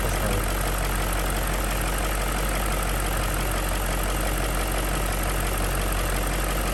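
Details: BMW M62B35 V8 at idle after VANOS units were refurbished but installed incorrectly, before reinstallation and timing correction. Steady idle with a faint, fast light knocking over the low rumble. VANOS knock.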